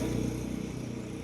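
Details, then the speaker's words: Vehicle cranked in neutral after refuelling and fuel line reconnection, fuel now flowing: short burst of rhythmic starter pulses fading without catching; cranks but will not start. "তাও start নিচ্ছে না। এই যে দেখুন, আমি start দিচ্ছি অথচ start নিচ্ছে না।"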